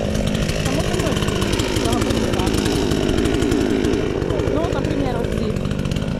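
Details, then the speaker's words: Chinese counterfeit chainsaw sold as a Stihl (MS 461), newly assembled and first start attempt: saw catches and runs at a steady, fairly high rattling buzz with even firing and no misses; starts and holds speed fine. "But there is a start, the saw starts, well, let's start it again."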